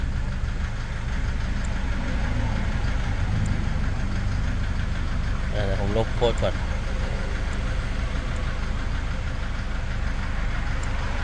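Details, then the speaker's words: Toyota Vigo 3.0 diesel, after rear rail sensor and SCV replacement: steady idle with rough uneven knock and vibration; scan shows poor injector data, cylinder 3 large correction; injector test shows injection quantity 103 vs 116–135 target; faulty injector diesel knock. "แต่ปัญหาที่เจอตอนนี้คือเครื่องยนต์มีเสียงเขกแล้วสั่น"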